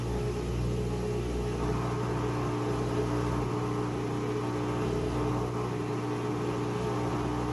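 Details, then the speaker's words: Whirlpool washer with E1/F9 error codes: drain pump gives a steady, low, rough, strained drone as water exits the hose. The pump filter is clogged. "listen for the pump it does sound like it's pumping you can hear the water coming out the hose"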